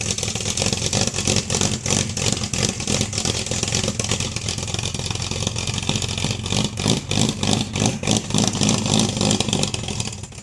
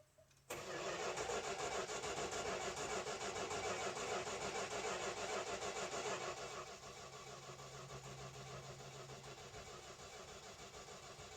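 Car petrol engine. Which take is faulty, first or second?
second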